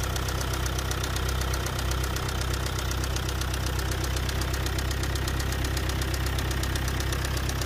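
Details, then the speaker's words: Car engine with four injectors at idle: sharp, regular knocking about four per second, described as a strong bearing-like noise; it began suddenly with noise and strong shaking on acceleration, then worsened to tapping with a bad smell from the rear. Injectors tested fine; mechanic suspects overspeeding. Cause unconfirmed. "هو صوت قوي وكأنه بيلة، يعني مش هو صوت قوي وكأنه بيلة، مش حاجة أخرى، مش حاجة كثيرة."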